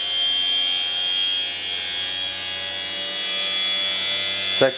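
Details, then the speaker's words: Workshop electric motor stripped of covers, run at about the same speed as the lathe motor at 1170, before fitting cover for workshop noise reduction: steady thin high-pitched whine over constant hiss, about as noisy as the other motor. "actually just about as noisy as the other one, whine-wise, but I'll stick the cover over it and see what it's like with the cover over it."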